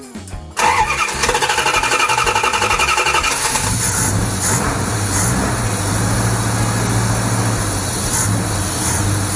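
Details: 318 Mopar V8, due for valve stem seal replacement without removing heads to cure oil smoke: cranks briefly, catches cleanly, even steady idle with no knock or tick; runs fine.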